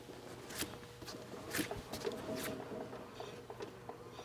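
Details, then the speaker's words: Front wheel bearing with no issues, spun by hand: turns quietly with only faint intermittent brake pad scraping, no bearing growl and no play. "Besides a faint little bit of brake scraping, there is no bearing sound at all."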